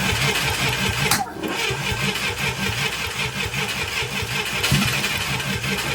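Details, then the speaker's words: International Scout 800A that sat in a barn for years, running after a new coil fixed the no-spark problem: it sputters unevenly and pops hard back through the carburetor every few seconds, with carboned plugs. Owner suspects the carb needs a rebuild. The finding is backfiring through the carburetor. "sounds hopeful it's backfiring out of the carb hard I wouldn't be surprised if the carb needs a rebuild"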